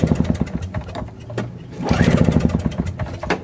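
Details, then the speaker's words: Old Craftsman 5HP single-stage snowblower with Tecumseh engine, start attempt: uneven clunks and brief churning bursts, never fires; owner later found choke off as the cause; engine fails to start. "I noticed that the choke was off well that's why it didn't start for sure"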